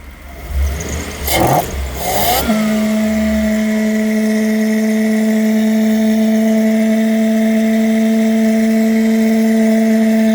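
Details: Toyota 1UZ-FE V8 on a Link Monsoon ECU with a 2-wire idle speed control valve: loud steady humming drone from the valve resonating through its hose.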